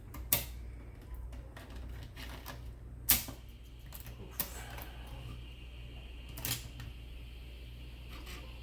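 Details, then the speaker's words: Macintosh 800K External Drive (M0131) after repair and cleaning disc with IPA, booting an OS 6 disk: sparse irregular soft head-step clicks over low steady hum; drive reads cleanly and machine boots, a working floppy. "wow look at that that is a working floppy"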